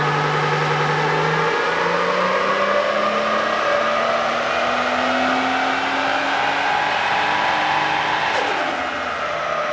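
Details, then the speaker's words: Nissan GU Patrol with a turbocharged RB30E engine and a newly installed Haltech ECU, pulling under load on runs: steady rev climb with a slightly ragged edge. Slight ignition breakdown under load remains. "As you can probably hear from those runs, a little bit of breakdown under load"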